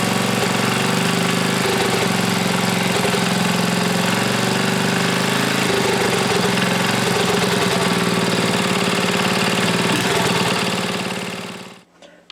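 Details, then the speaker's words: Briggs & Stratton Model 14 6HP flathead single: runs steadily but flat and weak with a soft uneven beat, smokes badly and has poor compression. "that runs give that smokes pretty bad I figured it would be you don't have the real good compression either really"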